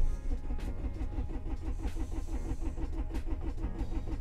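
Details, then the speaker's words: Cold start on standalone ECU (Speeduino/Megasquirt), coolant at 3°C, cranking enrichment at 100% (too low), some throttle held, no idle control valve; steady rapid cranking chug that never catches. Crank no start from too-lean enrichment. "as you can see nothing much the car tries to crank I also want to advise to you that you should have a charged battery at least"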